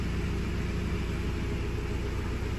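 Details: 2017 Euro 6 Ford Transit diesel after replacing the turbocharger boost position solenoid for AdBlue faults P246B P0045 P2564 and clearing codes: low, even idle rumble with no knocks, whistles or hunting; no dash lights, healthy.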